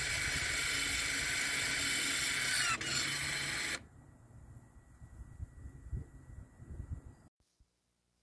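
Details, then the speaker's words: 2021 Toyota RAV4 AWD 2.5 with electronic parking brake after rear rotor and pad replacement: on releasing the parking brake button, the rear EPB motors give a steady, high electric whir for about four seconds, then stop cleanly; normal operation. "so now uh usually once you uh release the the parking brake the button you should be able to hear the motor in the back"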